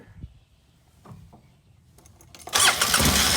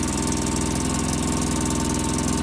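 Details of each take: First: 2005 Polaris Ranger XP 700 EFI after throttle cable turned twice clockwise to cure too-high idle (following throttle body and TBAP cleaning); cranks briefly, catches at once and settles into a steady, even idle with no surging; normal idle. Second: 2005 Polaris Ranger XP 700 EFI, just started cold, after throttle body and TBAP cleaning: steady fast busy idle that never drops, well above normal tickover; high idle, throttle cable assumed misadjusted.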